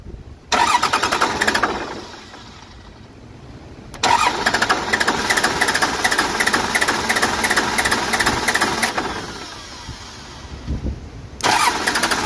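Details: Cummins 12-valve diesel swap after P7100 pump repair and refitting the AFC housing correctly, not run in a long while: cranks and fires, then settles into a steady idle clatter with no odd knock. Normal start and idle.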